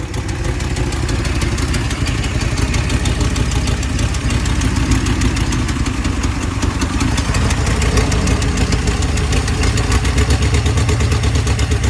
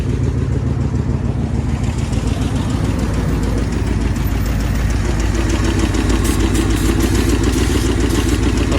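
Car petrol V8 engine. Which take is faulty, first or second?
first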